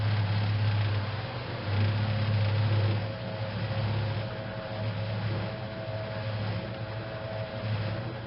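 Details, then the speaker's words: Restored 1956 Whirlpool Imperial belt-drive washer kicking into spin after the neutral drain that follows the wash: a steady low motor hum with gentle swells as the drum spins up; a normal spin cycle. "and our wig wag has kicked into spin and the way we go"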